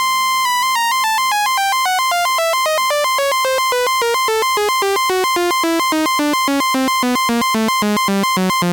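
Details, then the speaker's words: Restored 1974 Minimoog, glide off, top note held while stepping down each key: clean notes, each pitch steady with no wavering or dropouts that would indicate dirty or misadjusted contacts; keyboard contacts fine. "Now, something I like to do is hold in this top note and go through each key so you can hear there's no wavering between the keys. That would indicate a dirty contact or contact that needs adjustment."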